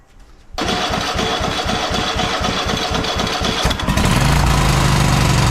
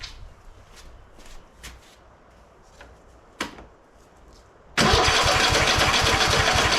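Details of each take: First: Cub Cadet XT1 LT46 lawn tractor, fresh oil, filter and fuel filter, carburetor initially dry: the engine catches and chugs with uneven pulsing about four beats a second, then jumps abruptly to a high, fast run. The governor needs adjusting. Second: Cub Cadet XT1 LT46 lawn tractor after oil pan reseal, head gasket, new carburetor, fuel filter and valve adjustment: a few clicks, fires and settles into a steady even chug with no hunting; running properly.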